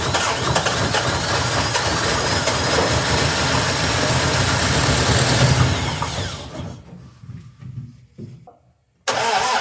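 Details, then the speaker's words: 1961 Triumph TR3A, barn find off the road since 1985, new high-torque starter, cranking with throttle pressed: starter churns with rough firing, revs lift briefly, then dies back to cranking and stops; catches but won't run; battery found low. "I saw the RPM go."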